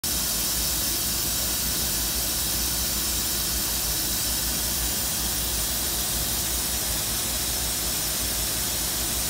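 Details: OF-15 furnace air handler: a steady, even hiss like escaping steam when the AC runs and the outside condenser is switched on; hissing from air handler during AC operation.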